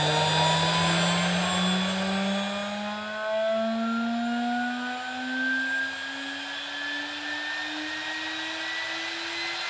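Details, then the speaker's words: DIY CNC router spindle on its inverter, turned up from about 80 Hz: a smooth whine climbing steadily in pitch as it winds up, with no roughness. The spindle sounds healthy and runs normally. "that's about 80 HZ there so that's uh fairly fast but nowhere near the full speed so let's just crank it and see how fast it"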